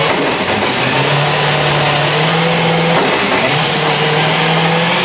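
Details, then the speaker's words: S65-powered BMW E30 M3 track car with newly fitted Drenth DG500 straight-cut sequential gearbox: steady low gear whine under the engine note, no clunks or grinding. "for a straight cut box it definitely seems to be quieter than I might have expected I don't know it's less clunky than I expected"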